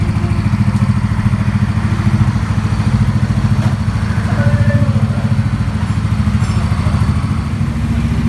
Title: KNOCKING SOUND